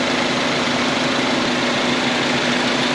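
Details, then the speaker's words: 2011 R57 Mini Cooper S with a road-noise complaint, car lifted and wheel spun fast to check the bearing: a smooth, steady whir with a light hiss and no grinding or rumble. The bearing is good; the noise was traced to a bad tire. "go spin fast fast go go go go no grinding noise okay next side yeah there's no grinding at all"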